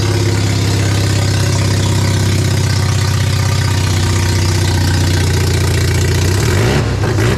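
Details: Mazda RX-7 barn-find 12A rotary, run after years of storage, carb flooding with suspected faulty needles and seats: a steady, deep drone at fast idle for several seconds, then an abrupt stall; running after long storage.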